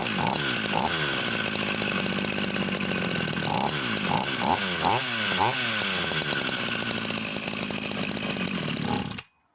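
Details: Vintage Husqvarna 44 chainsaw, previously seized, un-seized, high needle backed out: high buzzing two-stroke surging and sagging unevenly, revs hunting; rough running, owner suspects carburettor needs cleaning or replacing, possible air leak.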